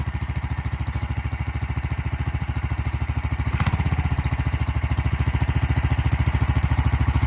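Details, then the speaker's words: Big block single-cylinder mini bike, first test after sitting long and poorly set up: quick steady thumping about 3.5 beats a second, idle set too high, being turned down. "Yeah, turn it down a little bit more, maybe. Yeah, there you go. Now you're down to idle. That's good. Yeah, too high of the idle."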